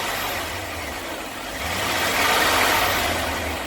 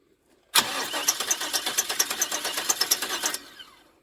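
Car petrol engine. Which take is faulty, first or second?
second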